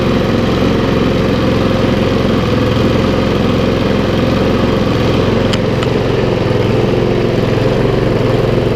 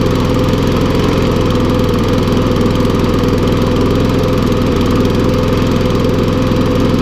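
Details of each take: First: Briggs and Stratton mower engine, a non-runner unused for over two years, revived with little work: small single-cylinder engine holds a steady, even putter with no misses or surging; it runs cleanly. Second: Briggs & Stratton lawnmower that last ran over two years ago, revived with little work. It runs steadily but a bit rough and smoking, with a faint crackle as it burns off oil and water in the engine.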